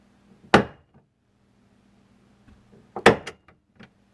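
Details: 2001 Chevy Silverado driver's door swinging: two sharp hollow clunks a couple of seconds apart with faint rattles after, from a worn-out door check (catch) that was visibly hopping around inside the door.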